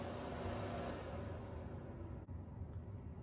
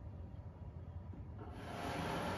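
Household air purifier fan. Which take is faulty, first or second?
second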